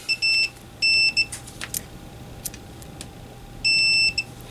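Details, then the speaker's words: Kenwood TS-520SE function switch terminals buzzed out with a continuity tester; three clean, steady high-pitched beeps, so each contact rings through and the switches work. "And as you can hear, we do. So all these switches are working like they should be."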